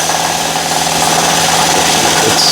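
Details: 2012 Nissan Murano at fast idle, extra microphone mounted low near the AC compressor: rough, steady whirring rattle from the wobbling AC compressor pulley hub bearing; compressor also leaking, and replaced.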